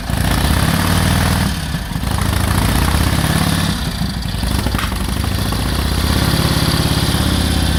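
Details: 1946 Indian Chief, original restored V-twin engine, first run after about 12 years in storage: loud low thumping idle, slightly lumpy with a couple of throttle dips, but keeps running on its own.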